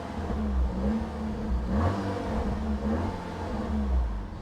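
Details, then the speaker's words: Peugeot 308 GTi (Prince engine) revving after replacing the cracked rubberized water pump pulley: revs climb and fall smoothly with no squeal, chirp or rumble from the pump drive, much quieter than before; no engine light, engine sounds healthy. "It's still engaged, it's super quiet. Last time it was so noisy."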